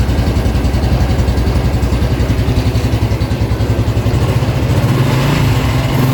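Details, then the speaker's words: Honda Revo X 2017 fuel-injected single-cylinder with a stock engine, used about three months and noted to have a weak clutch. It revs smoothly with a steady, melodic thump that swells with each throttle blip; engine sound is healthy. "Suaranya tuh mirip apa ya? Mirip motor zaman sekarang lah, yang merdu gitu."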